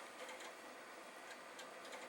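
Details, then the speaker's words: Floppy drive in an Amiga (2500/2000/1000) reading a disk normally after power-up, with quiet irregular light ticking and brief buzzing head steps in a small room; the drive works and can be used to test another machine. "I think they've a drive that is reading that means that I could probably use it to test the other machine"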